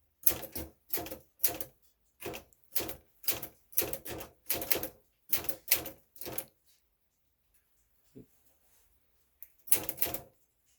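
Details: 1962 Smith-Corona Sterling manual typewriter; crisp, even keystroke clacks in quick bursts with clean pauses between lines, no drag or misfires, working properly.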